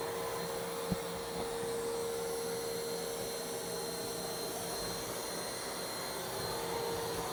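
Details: New iRobot Roomba Plus 515 vacuum-mop combo cleaning a messy floor in back-and-forth straight lines, first of two passes: steady whirring hum with constant tone, no grinding or clicking; running normally.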